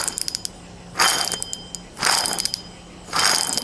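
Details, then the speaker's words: Torrent rear hub-and-bearing unit spun by hand during brake job: three rough, gritty rasps with clicking, a worn wheel bearing that also grinds badly while driving. "can hear all that noise and it's really really bad and as it's going down the road it grinds really bad too"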